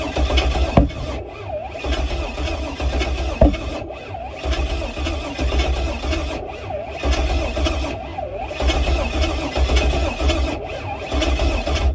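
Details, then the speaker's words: Pontiac G8 on its second start attempt, ignition primed with a constant 12-volt ignition feed: an uneven cranking chug with a couple of sharp pops and backfire over about twelve seconds; it spits but never catches and runs. The cause is suspected, not confirmed. "oh all right so let's let me know that's definitely letting me know we're getting something because that baby is spitting okay so that's a good constant 12 volt right there"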